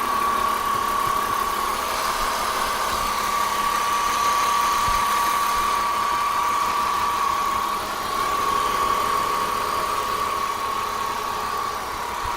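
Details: BMW M54B30 engine at idle: light, fairly quick ticking or rattle with a constant thin whine above it; source unknown.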